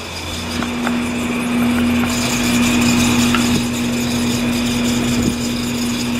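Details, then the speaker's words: Outdoor AC unit, customer reported loud squeaking: loud motor hum with a steady high squeal and a rough beat about four times a second; failing condenser fan motor, needs a new fan motor and possibly a new blade. "Yeah, so we're gonna need a new fan on here. Maybe a new fan blade."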